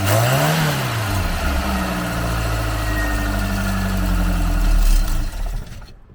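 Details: Garden-find Ford Capri, cold, on choke, still pulling fuel up: freshly started engine idles unevenly, beat hunting and wavering, then dies away.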